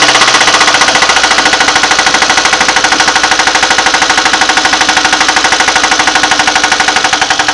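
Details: VAZ 2110 with 1.5 8-valve engine, running: loud sharp metallic knocking at a fast steady beat like a hammer tapping; engine knock, cause unknown, owner asks what it is.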